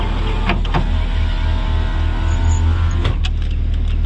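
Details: Nissan 200SX salvage car, power window tested with newly hooked-up switch before reassembling the door; steady low motor hum through travel with clunk at each end stop; normal power window operation.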